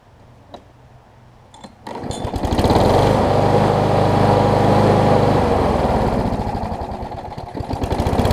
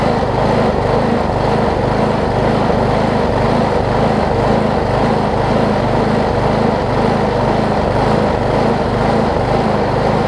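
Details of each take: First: Old Gardenway-made Troy-Bilt self-propelled push mower, few pulls then fires and settles into a smooth, even, steady drone with no stumbling; running much better mainly due to a near-new universal replacement blade. Normal running. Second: Old Gardenway-made Troy-Bilt push mower, tank nearly dry with a little 50:1 fuel added, starts right up but rises and falls rhythmically about twice a second; owner suspects the badly damaged blade contributes to the surging, new blade should fix it.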